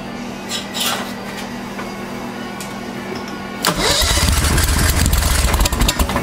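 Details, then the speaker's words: 1992 Club Car golf cart with upgraded V-twin Briggs engine, new CVTech secondary clutch fitted, sitting about 6 months: quiet cranking, then it catches and runs rough and loud; hard starting after storage, but it runs. "oh oh it's only been about 6 months but it runs"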